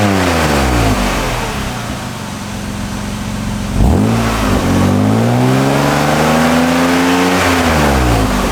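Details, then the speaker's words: 1997 BMW E36 M3 sedan after fitting a refurbished stainless AC Schnitzer bolt-on muffler in place of the worn stock exhaust: clean revs rise and fall smoothly with a mellow, quiet note and no ticking, puffing or rasp; no exhaust leaks. "Ooh, I don't hear any exhaust leaks. Ooh, still nice and quiet."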